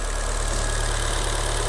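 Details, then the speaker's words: Long-abandoned, crash-damaged Fiat Punto Abarth warming up after being revived, with oxidation blowing from the exhaust. Steady, even low idle with no knocks, misses or ticks; it runs very well. Normal idle. "C'est un bail qu'elle est à l'abandon cette pauvre bagnole. Elle tourne bien par contre hein. Tourne super bien."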